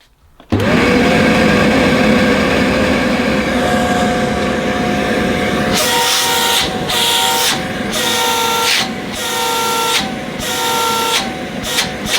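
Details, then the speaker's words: Shark CV100UKT bagless cylinder vacuum: smooth motor whine, then repeated foghorn-like hooting about once a second as the inlet is blocked and freed; honk caused by airflow restriction. "It's not too bad a noise until you don't go like that and then you get the foghorn effect. So yes, it does the same thing."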